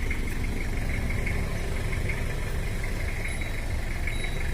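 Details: Toyota Kijang 2L diesel at idle with a repetitive knock about three times a second over the clatter ("duk duk"), blamed on worn camshaft, valve adjustment and worn boring liner; engine also burns oil heavily, taken down for overhaul with turbo requested.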